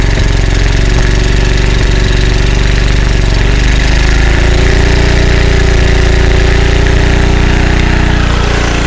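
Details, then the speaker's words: Early-1980s Generac S1500 portable generator, cold start on a cold windy day with starting fluid: rough, loud clatter, uneven firing and unsteady speed, barely keeping running; initial startup very hard. "well she starts on the starting fluid now spraying it doesn't do any good I can't do both at the same time"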